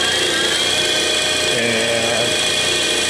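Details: Superabrasives EX50 (Max Engineering) diamond/CBN wheel dresser, grinding wheel spindle and tool-holder spindle powered up: steady, even high whine with no rubbing, knocking or grinding; both run smoothly, normal.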